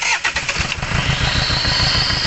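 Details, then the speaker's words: 2004 Hyundai Santa Fe Gold with low power and stalling, engine started for testing: rough, lumpy start with an uneven low chug that keeps stumbling and the engine visibly shaking. "Ayan mga kalbaryo ah narinig naman natin at nakikita naman natin na ang makina ay talagang nanginginig"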